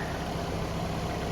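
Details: Smooth, even idle with a steady low hum and no ticks or misses from a Ford Ranger warming up cold outdoors in the snow; normal idle.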